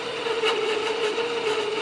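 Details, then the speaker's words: 12 V furnace blower fed through the time delay relay, with the thermostat simulated by a jump pack and power from the converter's 15 A fuse: after about 5 seconds it gives only a soft, weak, steady hum with no spin-up. It is barely running because the faulty relay starves it. "That thing is barely running."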